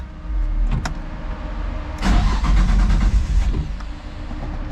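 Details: Nissan 240SX, not driven since a drift event, oil full and clean: short crank, then the engine catches and revs up to a steady, even idle with no knocks or misfires. Normal start.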